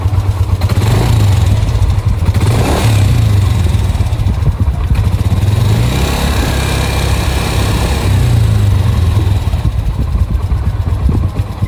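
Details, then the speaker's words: Yamaha NMAX scooter engine running with a rough, clattery top-end rattle from a slack (stretched) cam chain; a missing O-ring at the camshaft is also blamed for the noise. "Terdengar banget bahwasanya suara mesinnya ini berisik parah yaad."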